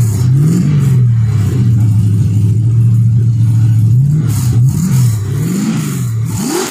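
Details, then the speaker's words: First start of an LS1 V8 in an XG ute, with a better carby and a custom full exhaust without a further muffler; deep even burble with quick throttle blips rising and settling cleanly to steady idle; normal idle and revving. "all right very happy with how it sounds it's actually pretty quiet and mellow down low so i don't think i'm going to put another muffler on it"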